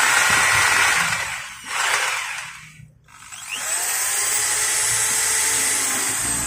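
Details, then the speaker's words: Maktec MT60 drill after repair of jamming and buzzing: spins up to a smooth high whir, drops away, restarts, then runs evenly with no hum or sticking; normal motor run. "okay, guys, now it's normal, it's not stuck"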